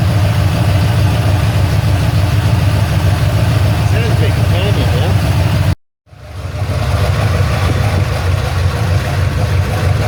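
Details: Ford Falcon XC GXL's restored 351 V8, warm with thermostat open, while idle is adjusted: a deep, even burble at a slightly fast idle with a brief dropout midway. Otherwise idling cleanly.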